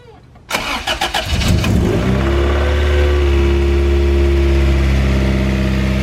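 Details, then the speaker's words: DB1 Acura Integra on first start after fitting a 1320 Toda V2 2.5-inch header and test pipe in place of the stock manifold: a one-second crank, then it fires into a smooth, loud, even idle. "Alright, I'm gonna start it up now. First start with the new header and test pipe."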